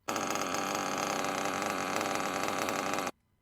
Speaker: do you hear that there's the normal ideal then there's that sound that shouldn't be there that's the rear bearing